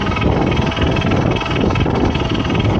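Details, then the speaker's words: 2019 Husqvarna Light Cross LC2 e-MTB, Shimano Steps E6000 (DU-E6002) mid-drive motor, 7500 km: harsh gritty rasp only when pedalling with motor assist, over a deep rumble; motor defective, not repairable, replaced as a whole. "Ich weiß nicht genau, ob man das hört, aber es ist so, wenn ich trete, dann macht der Motor so ein scharendes Geräusch, aber eben nur, wenn ich trete und der Motor unterstützt."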